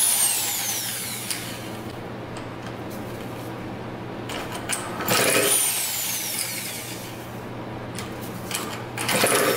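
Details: 2000 Cobra 50cc two-stroke racing mini dirt bike after fuel was poured down the carburetor: catches and screams in a steady, high buzzing drone, apparently stuck at full throttle; it runs.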